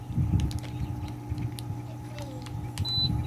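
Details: Coleman SaluSpa (Lay-Z-Spa) pump after reassembly: steady low even hum with no rattle, grinding or surging, a few light clicks; pump running normally.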